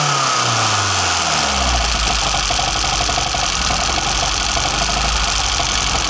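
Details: BMW 318i M10 engine on first startup after fitting sidedraft individual throttle bodies: it catches and settles into a steady, even idle with strong intake hiss and no knocks or misses, so it idles normally.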